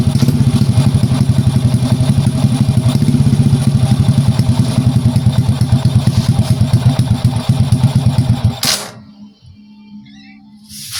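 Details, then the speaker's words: Old Honda Prima motorcycle after replacing weak CDI that caused hard starting: small single putters at a quick, even beat, about three pulses a second, then cuts off cleanly; normal idle, runs healthy. "Oke, kita akan tes hidupkan lagi. Ya, ini motor udah hidup."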